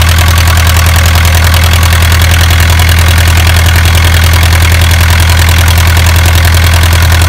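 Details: Isuzu 4BA1 85 hp diesel coupled directly to a single-impeller 5-inch water pump for orchard irrigation: steady, even diesel chug at idle, about three and a half firing pulses per second, no knocks or misses; sounds healthy.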